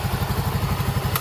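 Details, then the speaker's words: Yamaha Mio M3 after fixing hard starting and no idle (camshaft replacement fixed the power loss): even, steady low thumping idle with no tapping, runs without throttle. "nah dia mau hidup ya sekarang tuh jadi tanpa di gas pun sekarang dia mau hidup"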